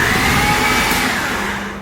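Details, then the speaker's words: Honda Civic EF hatch, sat about two years with the tank drained, first key-on; a high, fading whir with no cranking rhythm or firing, starter spinning without turning the engine; owner suspects a bad starter or broken timing belt. "could be a broken timing belt it could be a bad starter so far the story checks out does it need a starter or is there a broken timing belt or camshaft"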